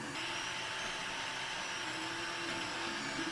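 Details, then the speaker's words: Anycubic i3 Mega 3D printer on stock drivers before the silent-driver and fan mod: loud constant high whine and hiss, with tones shifting as the stepper motors move throughout printing. "you can just hear the stepper motors whining the whole time it prints"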